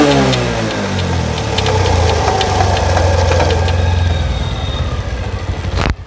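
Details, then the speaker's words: Pulsar motorcycle in third gear at half clutch, with the engine note rising and settling under irregular knocks of about three to four a second. The mechanic says it comes from the chain slapping; the cause is suspected, not confirmed. "মানে যখন half class করা থাকে chain থেকে খটখট খটখট sound আসতেছে। তো এইগুলোর সমস্যা।"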